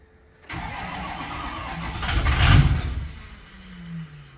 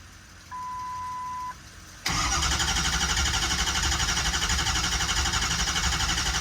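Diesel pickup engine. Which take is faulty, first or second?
first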